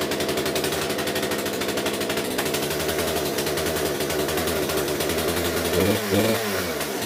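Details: Poulan P3314 chainsaw just after swapping in the correct replacement carburetor for the cheap China one: steady high buzzing run with a brief rev, holding speed without bogging; runs far better, may need slight fine-tuning.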